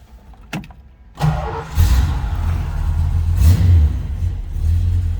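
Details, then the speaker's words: 1968 Dodge Charger R/T V8, cold start. A brief crank, then it fires and settles into a deep, lumpy but even idle with no knocks or misfires; oil pressure and alternator gauges read good, a healthy cold start. "That was a cold start. I wouldn't expect the temperature gauge to move."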